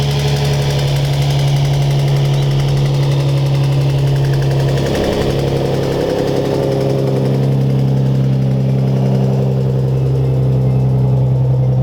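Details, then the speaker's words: Lowered Nissan 350Z at idle on startup; lumpy V6 idle with a raspy fluttering puff over the drone, a bad exhaust leak at the Y-pipe damaged from scraping. "I do have a pretty gnarly exhaust leak at the white pipe."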